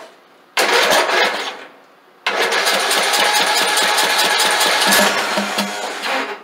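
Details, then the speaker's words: Craftsman LT2000 lawn tractor started after sitting for years: short crank, then fires, smokes heavily and runs loud and rough at a fast, unsteady pace because the seized governor and frozen throttle shaft and plate hold the throttle open. "Oh, the throttle shaft, the throttle plate was completely froze."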